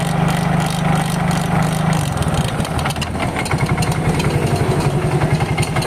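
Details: Yamaha Mio GT scooter idling before disassembly, MIL blinking code 42 (speed sensor); uneven rough rumble with gritty friction scraping from the CVT side. Suspected worn rollers and a damaged variator pulley.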